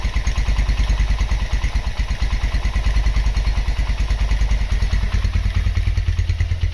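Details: Honda GL Max Neotech motorcycle engine after full restoration/rebuild, originally noisy at head and clutch. Steady, even single-cylinder putter at idle, about three beats a second, no knocks or rattles; normal healthy idle.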